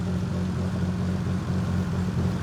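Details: 1994 Toyota Supra RZ after injector cleaning and fixing a vacuum leak at a leaking injector seal: steady, even low idle with smooth rumble, no ticking or hissing; engine healthy and settled.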